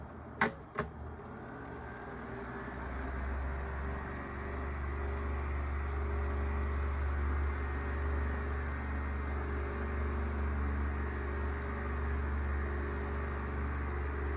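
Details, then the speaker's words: Sears 12-inch oscillating fan, model 453.80120, on high speed: steady low hum with a constant airy rush and no clear knock; noisy, maybe slightly out of balance; spin-down shows dry bearings. "may be a little bit out of balance too it's not too bad but it's making a lot of noise"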